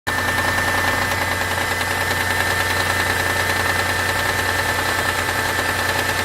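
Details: Mitsubishi 6G72 V6 on a cold start: quick, fairly even light ticking over the idle that lasts 1–2 minutes and then goes away; owner suspects the hydraulic lifters.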